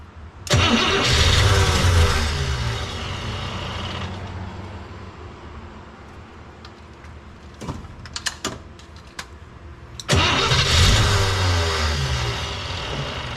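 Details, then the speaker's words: Cadillac 390 V8, bowls filled with borrowed gas: long steady cranking bursts that never catch; cranking no-start, still not pulling fuel. "did it still not pull any freaking fuel unbelievable how does that even make sense"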